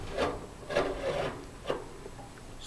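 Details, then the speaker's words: GE gas dryer, 15–20 years old: dry rasping scrapes in uneven bursts, from the blower fan rubbing the frame/shroud after the motor mount shifted forward; pushing the motor back removed the noise. "so it turns out quite a bit of noise is coming from this blower fan because the motor maybe the mount has shifted a little bit so it's moved forward and the fan is rubbing against the frame here"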